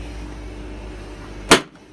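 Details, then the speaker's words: Hotpoint Aquarius WMA50 washing machine on a 60° cottons wash, which tripped the house MCB: low drum hum, then a sharp loud crack with fizzing burst; electrical arcing at the mains plug. "it's coming off the plug there I saw at that time that's amazing that is I've not seen that before pretty bloody dangerous really"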